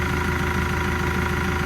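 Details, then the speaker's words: Develon DD130-7 dozer idling after an oil change and fuel bleed: a smooth, even diesel idle with a light steady tick, no hunting or misfire. Engine sounds healthy. "Ui, she's gone like a sewing machine, some would say. Ticking away."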